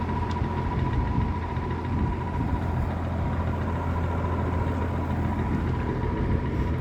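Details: Likely 1950s W. W. Welch Air-Flight 20" box fan, model 20W-U, with a Universal motor, freshly oiled: a steady, even whoosh of air with a low, constant motor hum and no knocks; running normally on medium speed.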